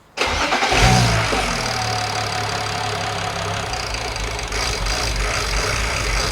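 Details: BMW E92 335i with swapped E90 engine (valves lapped, head refitted), second start after low fuel pressure, air in lines suspected: catches quickly, smooth steady idle for a few seconds, no knocks or ticks; normal idle.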